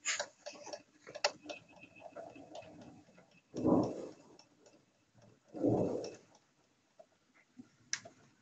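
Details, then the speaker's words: 2005 Toyota Sienna: sharp, dry ticks repeating under the steering wheel in a quiet cabin, with duller thumps between. Only with the key on, stops at key off, same while driving; owner suspects a relay, not confirmed. "you see it only happens when you put the key on but when I hate turn off stop the sound and it's the same when I am driving it sounds the same"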